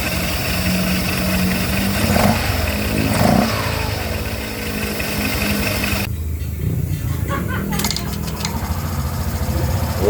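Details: Honda Click 125 V3 scooter after fitting a new genuine pulley and drive face plus a new belt: the engine runs steadily with light revs, and the CVT stays smooth and quiet, which is normal.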